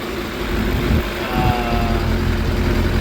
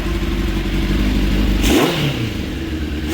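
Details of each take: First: 2006 Suzuki GSX 600F Katana after carburettor air/fuel mixture screw turned in half a turn, iridium plugs fitted: steady low burble holding a stable idle around 1200 rpm with no hunting; still black smoke when revved; normal idle. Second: 2006 Suzuki GSX 600F Katana, carbureted, with the air/fuel mixture screws too rich: throttle blips puff black smoke and the revs hang around 2,000 rpm before sagging slowly to the 1,200–1,250 rpm idle.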